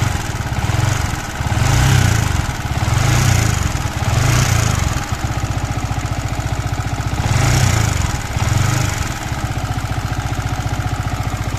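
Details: MT15 single-cylinder engine idling with a ticking clatter running through it and revs swelling up and down. Abnormal engine noise; later talk mentions engine oil, a genuine oil filter, clearance and a bearing, but the cause is unclear.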